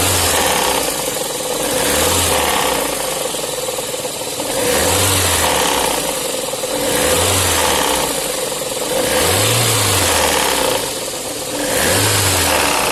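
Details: VAZ 8-valve engine: hollow knock from the front rising with each rev, damper spun on the crankshaft after its key sheared, and engine stopped revving; crankshaft pulley knock from sheared key.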